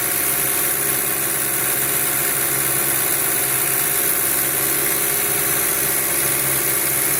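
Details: 2007 VW Passat 2.0T at idle: steady hissy, thin hum over a settled idle with no clear knock or rhythm; loud engine noise, cause not pinned down.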